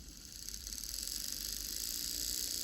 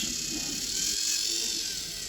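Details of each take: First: Lima class 50 model locomotive sent in as a non-runner, body off, hairs and fluff on the motor, leads put on the motor terminals: thin high buzz holding about four seconds then cutting; motor binding from dirty commutator and old grease, probably just needs servicing. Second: Lima class 50 model locomotive, received as a non-runner and now revived, runs on a controller at medium speed during wheel cleaning: a steady, high, thin motor whine at even speed with no clicks or catches. Running healthy again.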